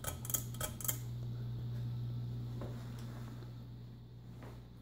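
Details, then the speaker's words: 52-inch white and brass Encon ceiling fan, flush-mounted to ceiling joists, running on low speed: a few light clinks then a steady low even hum from the fan motor, cause unknown. "it does make a bit of a grinding noise or humming i should say"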